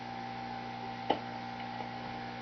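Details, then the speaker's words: Home-built tube amp after swapping a noisy 6J5 tube, output tubes also somewhat noisy: quiet steady low buzz; remaining mains hum blamed partly on the transformer mounted on the bottom side, noisier when turned up. "so we still got a little bit of buzz in it a lot of that is due to the fact that I still got the Transformer on the bottom side that that doesn't help matters"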